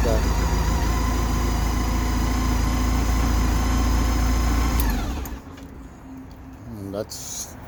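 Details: Kymco My Road 700i, long-crank hard-start problem, after crank sensor replacement and fresh battery: even, steady idle with a firm low thrum for about five seconds, then a clean shut-off; normal idle.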